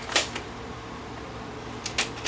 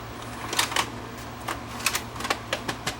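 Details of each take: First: Panasonic PV-V4522 VCR: a few crisp clicks and short whirs as the mechanism takes a tape and lifts the lid. Normal cassette loading with a tape that works, unlike the ones it rejects. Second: Panasonic PV-V4522 VCR: irregular light plastic clicks and ticks as the loader hunts and never draws a certain tape in.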